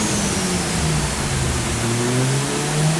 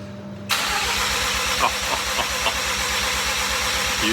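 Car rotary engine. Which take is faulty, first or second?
first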